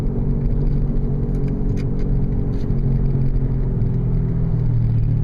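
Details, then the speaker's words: 2000 Oldsmobile Silhouette minivan at 20–35 mph: steady loud low hum/growl that follows wheel speed, not engine rpm, persists in neutral and briefly fades in a left bend; owner concludes probably worn drive axle wheel bearing hubs, replaced next. "I can shift into neutral and you still hear that loud growl so I've come to the conclusion based on that and some reading that it's probably the drive axle hubs"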